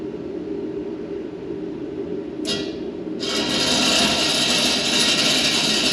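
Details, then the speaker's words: Mr. Heater Big Maxx garage heater under a year old: blower spins up with a hissy rush and fast regular chatter about four per second; fan not touching the cage, noise from inside the blower motor, which has broken. "okay so it is the fan motor this is not touching the cage anywhere it's down in the motor there"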